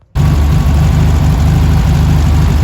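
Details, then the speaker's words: 1971 Karmann Ghia air-cooled engine, sat 20+ years, after fitting a new voltage regulator: low, uneven, lumpy idle, a bit better than before but still rough; generator light still on. "idling a little better than it was before."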